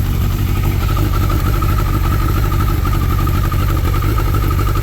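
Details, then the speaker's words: 2003 Suzuki Hayabusa idling after clutch reassembly with the top friction plate centred: a steady, loud idle with an even exhaust beat and the clutch clank gone. It runs rich with black smoke; the owner suspects a flashed ECU. "It's running pretty rich. Fuel pressure's good. It runs great. It's idling."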